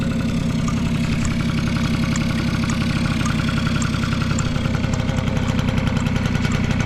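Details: Vintage Honda Squash AB11 scooter, 12V electric start: steady even idle with a light regular tick, no knocks or rattles; quiet, healthy engine.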